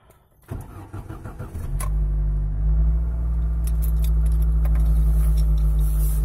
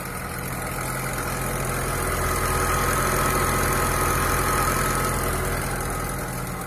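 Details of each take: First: Lada Niva 21214M injector engine, around 63,000 km, after replacing the hydraulic timing chain tensioner to cure chain knock on start: starts within a second and settles to a smooth idle with no chain rattle. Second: Lada Niva 21214M fuel-injected engine with hydraulic chain tensioner, about 63,000 km, cold morning start: a steady metallic chatter about three beats per second over the idle. It is timing chain rattle; a broken chain damper was found under the valve cover.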